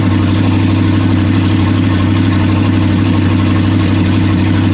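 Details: Toyota 1UZ-FE V8 bench start, about 29 years old, abused with oil leaks and cheap aftermarket parts: steady, even idle with a firm low beat and no misses, knocks or ticks; runs smoothly.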